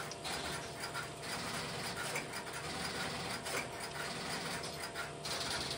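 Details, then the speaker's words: Idle step-by-step (Strowger) telephone switch with no calls being placed: light, steady mechanical ticking and chatter of the interrupter relays cycling in the background, normal idle exchange. "This video presentation will be of the sound of the stepbystep switch without any telephone calls being placed through it at the beginning. I will let the camera run for a minute or so to pick up the sound of the interrupter in the background"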